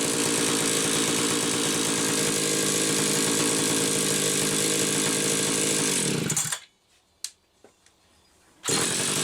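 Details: Stihl 031AV chainsaw after ignition repair with aftermarket ignition module under the flywheel: strong steady high-pitched buzz for six seconds without stumbling, then clean shutdown; runs properly.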